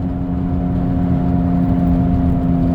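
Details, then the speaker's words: Quarter-million-mile Ford Escape at speed: a loud howling hum from the front left, starting around 25 mph and rising in pitch and volume with speed, from a bad wheel bearing. "she's a loud howling humming it's coming from the front left and it changes pitch as the speed changes that right there is how you find out if you got a wet bad wheel bearing"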